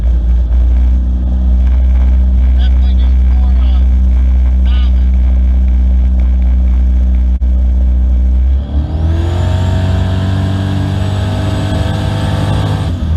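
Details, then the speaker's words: 1996 Camaro, 5.3 V8 swap, GT45 turbo, BTR Stage 2 cam, new tune test drive: deep even V8 rumble rising cleanly in pitch under load, maxing about four psi boost (about 120 kPa), no misses or knocks; healthy. "all right so we only hit about four pounds of boost and uh see there it maxed out at four pounds of boost"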